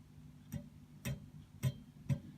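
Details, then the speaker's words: 1960s Australian Strauss Emperor tube guitar amp, volume about halfway, after electrolytic cap replacement: tapping tubes gives five low thumps with short ring through the speaker, slight on V1, V2 and phase inverter; a tube is likely microphonic. "however I do have some microphonic so let me turn the amp up again this is about half way right now so v1 a little bit of tapping v2 kind of hear anything a little bit coming through on the phase inverter"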